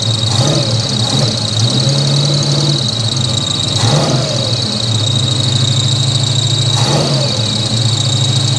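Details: 1983 Chevy C10 with 350 small block, first start after a Holley 4-barrel carburetor swap: steady high idle with even firing and a constant whir, before the idle was turned down; normal fast idle.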